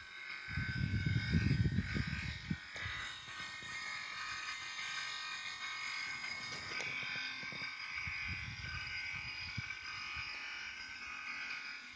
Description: Engine is off but a noise mysteriously continues. This noise started after my car's air conditioning was serviced.